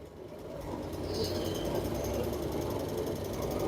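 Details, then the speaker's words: Samsung 7 kg front-load washer motor with new carbon brushes, tested on a spin cycle: even motor whir with a faint scratchy brush hiss building as it spins up, no knocking. Normal running while the new brushes bed in and stabilize. "It's little bit it's noise coming from the carbon brushes. After it will come stable, it's not making abnormal noise."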